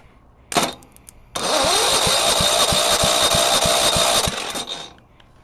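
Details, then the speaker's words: Go-kart lawn mower engine, first start in about 5 months after oil change, started on sprayed ether; catches, chugs briefly and dies; fuel starvation suspected. "most likely not getting gas so try to do this okay let's see why it's not going to stay running"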